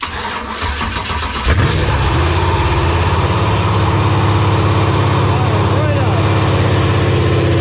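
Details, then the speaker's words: LQ4 6.0 V8 on a run stand, freshly resealed with a new cam, first start on a Holley Terminator X Max: brief cranking, then it catches cleanly and settles into a steady, even idle with no misses; healthy start, not yet tuned. "That's very cool. It is running under its own power here. That Terminator X is an awesome piece so far. Of course, everything needs to be dialed in, but it fired right up."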